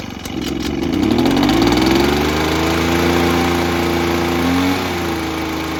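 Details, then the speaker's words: Echo PB-403T two-stroke backpack blower that sat for years and earlier ran only on half choke, stalling and not revving: started with choke on after priming, it climbs smoothly in pitch and holds an even buzz. Normal idle and revving after the work. "all right cool so happy with that works pretty good"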